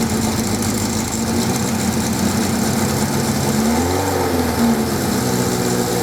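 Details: 1979 Suzuki GS550E four-cylinder motorcycle, laid up under a cover in a garage for about five years, starts and idles steadily with one short throttle blip; it runs after long storage.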